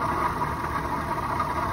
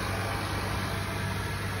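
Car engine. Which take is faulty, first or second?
first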